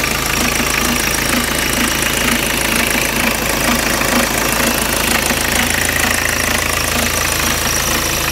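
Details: BMW 318 TDS E36 diesel idling with a steady knock about twice a second. The knock seems to run at about half the engine speed, over a clattery background. The source is undetermined.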